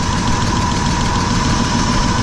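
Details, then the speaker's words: V8 idling after new spark plugs and wires, old boots carbon-tracked from dielectric grease: fast light sewing-machine clicking from the valve covers; owner suspects rocker or lifter tick, cause unconfirmed. "so I'm gonna try idling a little more smoothly sounds like I got something wrong with rocker or yourself"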